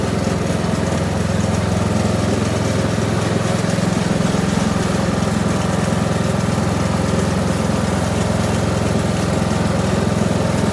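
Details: Kohler Courage 19 hp engine on an Ariens garden tractor after muffler repair (loose internal baffle fixed): even, steady engine beat with smooth exhaust note, no metallic buzz or rattle, running healthy under light load.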